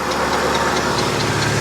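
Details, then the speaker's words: Car with power steering leak after pump replacement, fluid bubbly and belt oil-soaked: idle with light, fairly regular ticking about five per second; noise judged to come from the steering rack rather than pump; power steering noise. "sounds like the pump sounded worse. But all the noise is coming from the rack."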